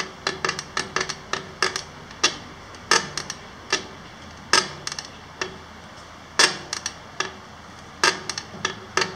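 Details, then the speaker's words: Bob Ibex cycling trailer, about 750 km and 7-8 days of use: sharp dry creaks and clicks two or three a second as the suspension is pushed; owner unsure if it needs lubrication or screws are too tight. "Is this sound something that it should do, or should we put some lubricate on the suspension somewhere, or is are some of the screws too tight, or what is wrong with it?"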